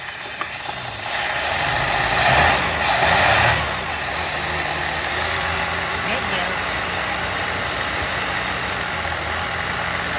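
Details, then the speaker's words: 1981 Pierre Cardin Evolution 1 with a loose distributor: engine catches and keeps running but lumpy and uneven under steady hiss; running very rich, smoking out the shop, could probably use a tune. "yeah it's actually staying running now but it's like poo we definitely need to chase down woo that is fat it's smoking out the shop"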